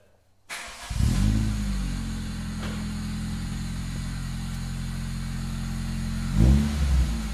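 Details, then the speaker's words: 2001 Toyota Corolla AE112 at its first start after replacing the gearbox, clutch and rear main seal: it catches quickly, settles to a deep, smooth, even idle, then revs cleanly. A healthy bassy exhaust with no rattles. "it's got a nice it's got a nice bubble at the back it's just got a really nice bass sound this exhaust it's not a tinny you know shitty four-cylinder it cause it sounds good"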